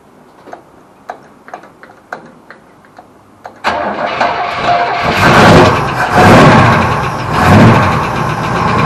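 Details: Holden HQ Ute donor car, unstarted for 7 years, fuel fed from a jerry can via the fuel pump hose: a few faint ticks, cranks, catches quickly and runs with uneven revving as it settles.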